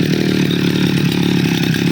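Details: Two-stroke grass cutter after the faulty part was replaced and glued against leaks; ignition and carburetor checked OK. After a choke start: a strong, even buzz holding steady pitch without surging or cutting out. Running stable; fault cleared.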